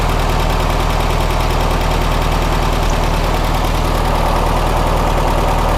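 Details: 1967 VW Karmann Ghia air-cooled flat-four, sat since 1975, warm idle after first drive; regular even low chuff, no knocks or misses; sounds healthy though a bad leak appeared, likely old hardened seals.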